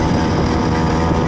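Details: Two-stroke engine on a flea-market motorized bicycle, test run after the clutch cable was replaced and the rear wheel tightened: small engine buzzes steadily at an even, high-revving pitch with no sputter or knock; runs cleanly.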